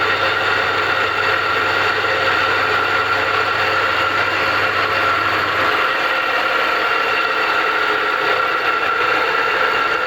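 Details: Home rock saw with long-noisy arbor bearings, run before refurbishing: steady harsh rushing whir with a thin high whistle at constant speed, bearings worn and blade wobbling; the bearings are to be replaced.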